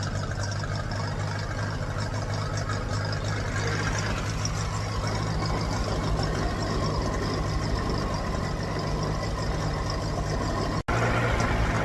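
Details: Ferguson TED20 tractor engine after oil, filter and oil-bath air filter change, held at fast idle to warm up: steady, even low beat, no knocks or misses; healthy, oil pressure now good versus previously dropping to nothing when hot.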